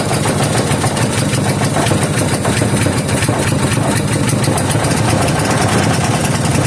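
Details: 3hp Briggs and Stratton horizontal-shaft engine running on new treated fuel after starting on choke: a steady, even putter with no misses or surging. Already a runner.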